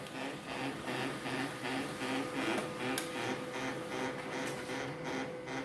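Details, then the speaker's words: Canon 2009 laser printer with 12A toner cartridge, printing: loud gritty grinding pulsing about twice a second though print is sharp; printer itself quiet, fault is the cartridge's worn magnetic roller. "Bản in rất là nét thôi, nhưng mà nó kêu rất là to."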